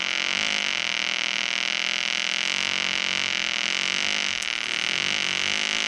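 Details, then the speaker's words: EWM Tetrix XQ 230 Puls AC/DC Expert 3.0 TIG welder, pulsed, rigid curve mode, fairly aggressive with probably slightly higher heat input: steady high buzzing arc with fine even pulsing, no sputter; amperage lowered once the workpiece is hot. Stable arc. "Donc là on entend bien le générateur qui donne très peu. En fait, une fois que la pièce est chaude, il adapte l'ampérage."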